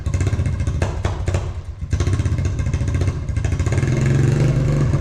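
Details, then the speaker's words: Honda TRX350 ATV single-cylinder after carburetor cleaning chugs and stumbles with heavy uneven low beat, never climbing in revs; owner suspects non-stock air filter lacks back pressure for carb slide, or ripped slide diaphragm. "That's why I say stock air filters are important. If they don't have enough back pressure, they won't make it run properly."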